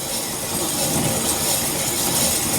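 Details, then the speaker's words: 2004 Chevrolet Suburban, passenger-side front wheel spun by hand with the car lifted, before the brakes are removed. A continuous rough growl; owner suspects the wheel bearings on this side are shot, not yet confirmed. "So I'm kind of thinking this one, the bearings are shot on this side."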